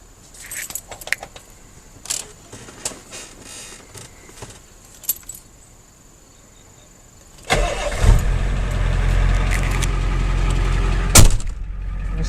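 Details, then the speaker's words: 1990 Ford F250 7.3 IDI non-turbo diesel with a replacement clutch, camera underneath: engine idles with a loud, fast, uneven rattle; owner attributes it to gearbox noise. "the new one just rubbish we'll start it up so you can hear just how loud the gearbox is"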